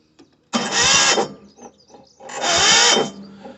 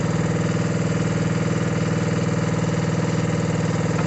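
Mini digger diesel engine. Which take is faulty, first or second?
first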